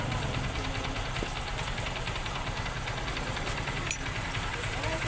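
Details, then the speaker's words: Honda XR150 single, after clutch housing re-riveted with new rivets to fix weak pull and loud rattle: steady even running, smooth low thrum, no clutch-side metallic rattle; sounds healthy. "Yan guys, kanina yung pag pinandar natin, malakas yung kalampag. So ngayon, nung pinaribits natin yung clutch housing, nawala na yung kalampag ng makina dahil bagong rivets siya."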